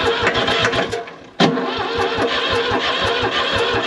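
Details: New Holland L783 skid steer, bought at auction as hard to start, fuel pump powered though owner believes it dead: starter cranks in an even quick chug, briefly tries to catch but never runs; crank, no start.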